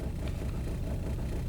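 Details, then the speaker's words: 2002 VW Beetle 1.9L TDI ALH idling in the bay, camera on the roof: uneven, lumpy low rumble that keeps stumbling, misfire shaking through the body; the vehicle also shows an EGR system trouble code. "okay sorry about the shaky screen the engine is still misfiring hopefully you can hear that misfires transmitting through the body of the car"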